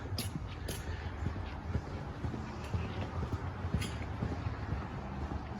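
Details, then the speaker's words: 2001 Chevrolet Silverado: light uneven clicking under the dash with engine running, HVAC recirculation door actuator failing, door not fully opening or closing; fixed by replacing actuator. "I've seen the door just kind of doing that it's not fully closing not fully opening and you hear the clicking and I'll show you what causes that here in a second"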